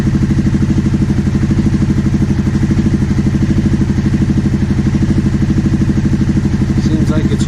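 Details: 2009 Aprilia Shiver SL750 twin, after replacing both air pressure sensors in the airbox to cure idle jumping up and down: steady, even idle with firm regular pulse, no stumbling or hunting; evap and tank air hose ruled out.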